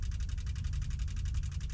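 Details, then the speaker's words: Ferrari 330 GTC, ignition turned fully on with the A button on, before a cold start: rapid regular clicking about nine per second over a low hum as the electric fuel pump primes normally, run about 20-30 seconds. "You basically turn on the ignition switch all the way to, you know, 180 degrees. You make sure that the A button is on. You can hear the clicking."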